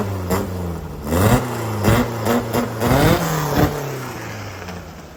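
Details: VW Baja air-cooled flat-four upgraded from Kadron to Weber-style carbs, rejetted (main was 115, ended with 52 jet): blipped repeatedly, revs climb cleanly and drop to steady idle, crisp with no stumble or pop.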